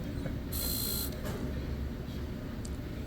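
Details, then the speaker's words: 2010-2015 higher-mileage Toyota Prius with ABS light and DTC C1391: steady low buzz from the brake booster pump under the brake fluid reservoir running continuously because the accumulator leaks pressure. "you see it buzzing that's that annoying buzzing sound you hear and right above it that's the brake fluid reservoir you're looking at"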